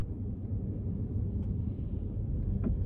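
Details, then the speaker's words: 2008 BMW X5 E70 4.8i recorded from inside the cabin while driving: dull knocks over small bumps and squeaks over larger bumps from the front suspension; lower control arms possibly not the cause, worn strut mount bushing suspected, not confirmed. "やっぱり小さな段差を超えるとコンコンという音、そして大きめの段差を超えるとキーキーという音がします。"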